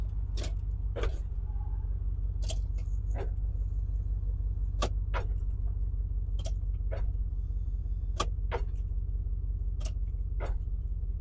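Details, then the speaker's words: GMC Yukon XL junkyard restoration project, running at low idle while being put into gear: sharp uneven paired clicks under the dash, electrical source unconfirmed; ABS, StabiliTrak and airbag lights on, no check engine light. "Yeah, we're still clicking a bunch under the dash."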